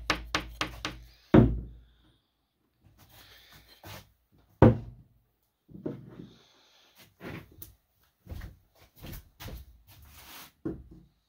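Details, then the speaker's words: Baldwin Model E piano soundboard with hairline cracks and weak glue at the rim: knuckle taps near a crack give dull, short, slightly buzzy thuds instead of a clean ring, because the soundboard has come off the rim on either side of the crack. "so the sound boards come off the rim on either side of the crack"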